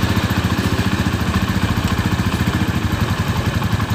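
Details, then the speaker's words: Honda Tiger New single-cylinder engine after repairing the broken timing chain tensioner and worn valve rockers behind the rough engine noise: it idles evenly at about three beats a second with no knock or chain rattle. "Oke jadi Inilah hasil dari memperbaiki Tensioner rantai taiming yang suaranya kasar tersebut,"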